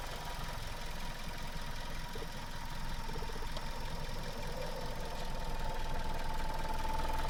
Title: Suzuki Swift Sport 1.6 warm and normal engine sound // normales Motorgeräusch